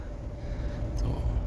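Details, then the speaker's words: Mahindra Thar 4x4 driving in third gear: low vehicle rumble with a thin steady whine running through it; gearbox noise in third gear, cause unknown. "ये third gear की आवाज है। ये आवाज करता है।"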